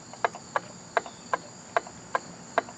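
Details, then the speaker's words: Small engine that ran without oil after a leak, turned slowly by hand. Sharp, evenly spaced knocks about every 0.4 s; a part is worn from lack of lubrication, suspected crankshaft journal or connecting rod. "you hear that knocking? Now that's no big deal when you're turning it by hand, but when this thing's spinning at 3,000 revolutions, that's a problem."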